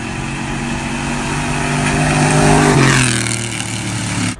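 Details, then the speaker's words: Chrysler 300C 5.7 Hemi V8 with long-tube headers, driver's side header bolts missing: loud raspy puffing growing harsher as revs climb and fall, like open exhaust; header exhaust leak, new bolts to be fitted. "Whenever I drive the car, it's just so loud and nasty sounding. Like, it sounds like a freaking garbage truck."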